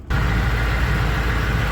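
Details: Truck engine showing 350,677, first start after fuel filter replacement with fuel system primed three times; steady, even low rumble at idle with no misses, knocks, surging or leaks; normal healthy idle.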